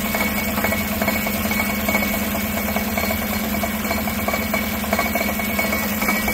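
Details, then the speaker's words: 2016 Tahoe 5.3 V8 with 140,000 miles, no check engine light, idling and heard from underneath: an uneven tinny rattle about once a second under the engine hum. The driver-side catalytic converter's insides are crumbling. "all right we are underneath you guys hear that sounds like it's in the cat"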